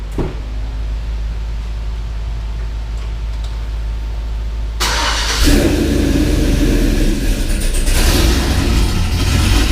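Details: 6.0 V8 swapped Cateye truck with BTR Truck Norris cam, idling after failed lifter (cylinder one driver's side) replaced with Morel drop-in lifters: steady even low rumble, no valvetrain ticking, normal idle.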